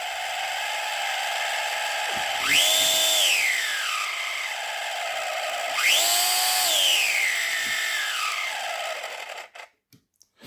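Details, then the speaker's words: FLY Renault 5 Turbo 1:32 slot car before the fix: a thin motor whine sags as it catches, then rises in two surges as it frees; the crown and pinion gears mesh too tightly and bind. "they're just a bit too hard just sitting a little bit too hard you know against each other"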